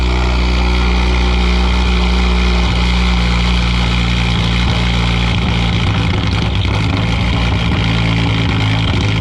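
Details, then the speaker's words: Fully built 2010 Mazdaspeed 3 drag car, first cold start of the season near 40°F after fitting a new Odyssey battery (old one likely killed by freezing weather): catches quickly into strong steady deep idle, no misses or knocks. "let's try fire it up he works that's a good sign"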